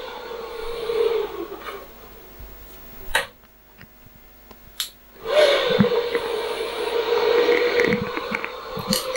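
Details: QNAP TS-853U NAS powering up after its bricked BIOS, dead from a failed update, was reflashed with a CH341A programmer; steady airy fan rush drops briefly after a couple of clicks, then surges back evenly; normal power-up fan run.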